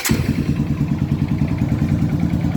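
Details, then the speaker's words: Honda Titan 150 single-cylinder motorcycle idling after replacing the worn cam chain tensioner that caused a loud ugly engine noise: a steady, even low thump with no top-end rattle, the noise almost fully gone. "ó, diminuiu quase que 100% do barulho. Zero."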